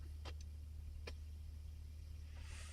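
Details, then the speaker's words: Hiwatt PA100 6-channel 100-watt tube PA amp, mic against speaker, all preamp controls at 0: low mains hum with scratchy crackling pops as master and presence pots turn; dirty pots need cleaning. "I'll just bring up the master control. Little bit of crackling. Not too bad."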